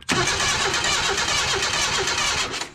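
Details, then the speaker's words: Junkyard 1977 Datsun 710 wagon, plug wire refitted but still no spark, checking from the coil. Starter cranks with even compression pulses about twice a second but never catches. Crank, no start, no spark; dirty points connection suspected. "no spark start at the coil first make sure we're getting sparked from it"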